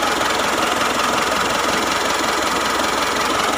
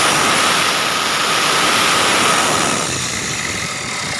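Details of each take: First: Mitsubishi Triton GLS 4D56 diesel at idle after fixing a metallic, bearing-like whine caused by the alternator pulley, replaced with a solid pulley: steady even clatter, faint turbo hiss, no scraping or bearing rumble; running fine. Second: Mitsubishi Triton GLS 4D56 diesel at idle, mic at engine: steady high droning whine over clatter, like something dragging, resembling turbo but not; suspected tensioner or alternator, found to be a loose alternator pulley.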